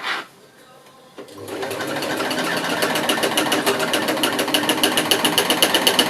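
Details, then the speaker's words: Sewing machine stitching a custom pool blanket cover with very fine stitches: fast harsh clacking chatter about four beats a second, thread bunched up underneath, possibly from two threads of different strengths. "otherwise oh that's making a strange noise and don't like that"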